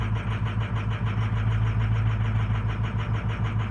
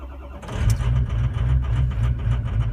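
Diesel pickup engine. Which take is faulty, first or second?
first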